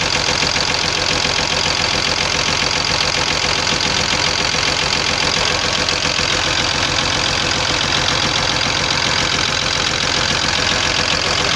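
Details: Cummins diesel at idle: sharp fairly even knock about three per second over a clattery idle; knock traced to worn connecting-rod small-end bushings.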